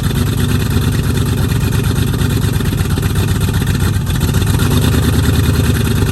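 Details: 1969 Mustang V8 that sat 15 years, after new starter solenoid and voltage regulator: rough lumpy idle with dropped pulses, definite miss and spitting back; owner suspects timing slightly off, and plugs and wires, not confirmed.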